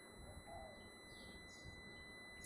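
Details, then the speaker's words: Hyundai Kona on first DC fast charge at a 50 kW CCS charger, about 75% state of charge, roughly 14°C outside: a thin steady high whistle over soft hum while charging at up to 41 kW. "Pourquoi ça siffle? C'est bizarre ce bruit. Ça va exploser, putain."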